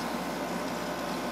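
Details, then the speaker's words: 2001 White Westinghouse WCI 5,000 BTU window air conditioner with LG compressor and GE fan motor, running in a cool basement, gauge settled around 3.88: even, steady hiss and soft hum with no knocking or rattle; compressor running normally. "good unit runs great compressor sounds good I'm happy with it"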